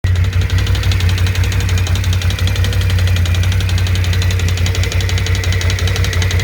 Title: BRP can-am Outlander 650 стук двигателя